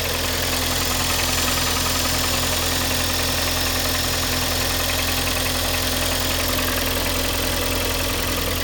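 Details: Kia Sportage 2012, G4KD engine, cold start: fast, fairly even chatter about two or three ticks a second over cold idle, noise appeared this week; owner suspects cylinder scoring, unconfirmed.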